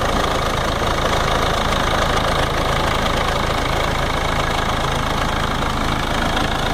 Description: Barulho vindo da caixa de distribuição da Ranger 3.0 NGD.